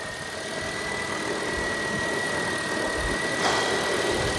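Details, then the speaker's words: Copart car engine idling after fitting a new belt, having already replaced water pump and alternator: steady even idle, no squeak or chirp from the belt side; engine just purring, healthy. "So, no noise now. So, it's not the engine. So, it's that right there squeaking. The engine is just purring."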